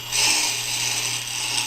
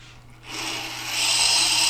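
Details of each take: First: Tormek T-8 sharpener, brand new grindstone being trued with the truing tool: high, gritty scratching comes and goes over a steady motor hum as the tip contacts only high spots; stone out of true. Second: Tormek T-8 sharpener, grindstone after truing pass with support lowered one micro-adjust turn: bright, steady scratching stays even all the way round with no rhythmic catch; stone surface now level.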